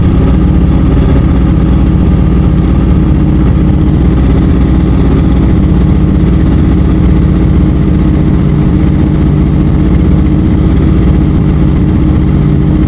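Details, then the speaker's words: Honda CBR650F (CB converted with CBR front), four-cylinder, customer reports stumbling while riding; lumpy idle with a hollow gap in firing; cylinder 4 dead, spark plug or ignition coil to be checked. "สูบที่มีปัญหาก็คือสูบที่4นะครับไม่มีการระเบิดนะสูตรที่4นะสูบที่4ไม่มีการจุนระเบิดนะฮะ"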